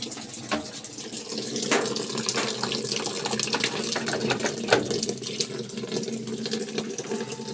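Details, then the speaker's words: LG top-load inverter automatic washing machine, after part replacement for very weak water filling, set to wash: strong, continuous gush of water filling the tub, no sputtering or trickle; inlet flow now normal. "narinig moung tubig malakas na o yan normal na ano niyan na flow"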